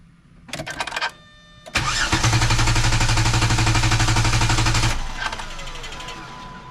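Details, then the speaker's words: Engine held in clear-flood mode (pedal floored) cranked by the NovSight G5 6000A jump starter in a torture test: a couple of clicks, then strong, regular cranking about four beats a second, never catches; healthy cranking. "This vehicle does have clear clear flood mode. So I'm going to put the gas pedal all the way to the floor. So it's not going to start. It's just going to crank."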